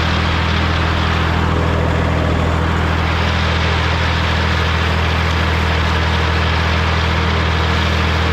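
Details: Morra F25-6 disc mower on a tractor, test run after repair (it had a pod bearing failure the year before and is down again). Steady deep drone from the tractor and spinning discs with no knocking, clatter or metal contact over the whole run; sounds healthy.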